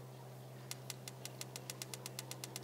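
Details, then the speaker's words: Roojer outdoor propane patio heater igniter, heard from beside the unit: rapid, evenly spaced sharp ticks of repeated sparking, about six a second, over a faint hum; igniter sparking normally. "so that's not even a click one that produces one spark this is a repeated spark"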